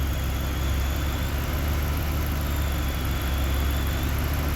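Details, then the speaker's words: 2011 Ram 1500 at idle with a replacement alternator that is not charging, battery light on, codes P0622 and P063A: faint high whine coming and going over a steady heavy idle from the alternator; wiring or connector fault suspected. "you hear that noise that's the alternator charges not charging"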